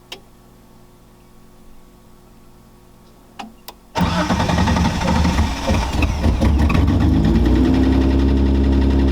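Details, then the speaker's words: Datsun 280Z idling at about 1500 rpm; it also idled high before the fan-controller install. Engine catches and holds a steady, fast idle that doesn't drop. Owner suspects a vacuum leak. "I do have a vacuum leak, I think, and before that it did idle pretty high. So I was trying to figure out what's going on with that. Right now it's idling at like 1500."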